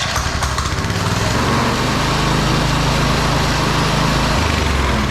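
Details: TrailMaster Mini XRX go-kart small single-cylinder, started without choke on 40 amp charger after freeing rusted clutch and chains with oil: steady even idle buzz, no binding or dragging; chain possibly still a little loose.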